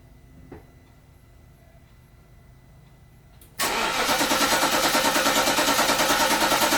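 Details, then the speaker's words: 2011 Infiniti FX50S (VK50VE V8), fuel deliberately run out during a starter replacement job: the starter spins the engine at an even, rapid chug that never catches. Crank, no start, with no fuel supply. "right. Well, I guess there wasn't even enough fuel to start it up."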